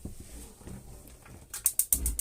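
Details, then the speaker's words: Swift Basecamp Plus caravan gas grill/oven igniter: five quick sharp clicks about a tenth of a second apart in a quiet room, showing the igniter is working correctly. "So that little click is telling us that the flame failure devices on each individual item are working correctly."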